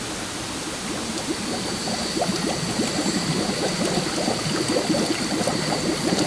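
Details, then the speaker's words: 1948 Silver King tractor radiator during pressure testing; constant rushing hiss with irregular bubbling and gurgling as air escapes past the radiator cap, leak too big to diagnose other spots; owner may need another sealing solution. "oh my that radiator cap I might have to come up with another solution"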